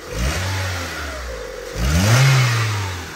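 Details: Honda Civic 1.7 (2001–2006) that was misfiring on a cylinder, after coil replacement and spark plug cleaning and gapping, revved cold. Two clean blips with revs rising and falling smoothly and no misfire, shake or exhaust rattle. Normal revving.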